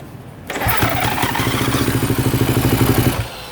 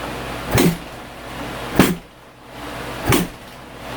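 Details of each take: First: 2016 Kawasaki KX250F with voltmeter tapped into the fuel pump junction: kicked over, fires unevenly about two and a half seconds then dies; owner suspects bad connection at the often-unplugged, dielectric-greased fuel pump connector. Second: 2016 Kawasaki KX250F, restarted after about 5 minutes cooling from hot, fuel pump briefly disconnected and reconnected: four spaced kick attempts, then catches and settles into steady even run with no misses; normal start.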